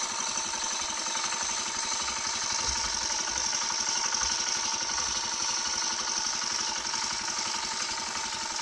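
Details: Used Honda Cub single-cylinder engine on its first start after being removed and disassembled for an internal check; fast, fairly even buzzing patter with a light mechanical tick, holding a steady idle.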